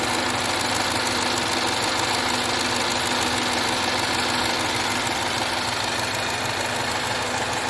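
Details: 2013 Jaguar XF 3.0L AJ126 supercharged direct-injection V6 after engine rebuild with timing chain kit, no fuel leaks seen: even, steady idle with no knocks, ticks or misses over a hiss; sounds good, normal idle.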